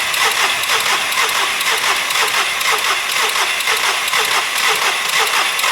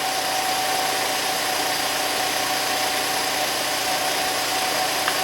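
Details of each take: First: SEAT Ibiza engine just refitted after sitting a while, possibly no oil on top end, air filter possibly not fully refitted: starter turns it over evenly, about two compression pulses a second, but it never fires; earlier attempt seemed to briefly catch and sounded very clicky. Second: SEAT Ibiza after engine refit, idling after a cold start: even, unchanging idle with a faint steady hum, no ticks, knocks or hunting; good idle, only slightly low on oil.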